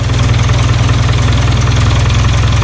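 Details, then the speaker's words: 1996 Geo Tracker after re-pointing the distributor to its correct position, fixing no-spark/no-start: even, quick low-pitched idle pulse with no misses or stumbles; runs, normal idle. "let's try this one more time yes [Music] she runs"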